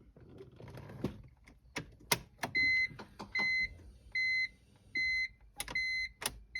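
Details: 2002 BMW E46 325 convertible, battery replaced: key-on chimes and light clicks, then no starter whirr or cranking; fuel pump primes, clutch safety switch suspected but unconfirmed, clicking is convertible top motor; no-crank, cause unknown.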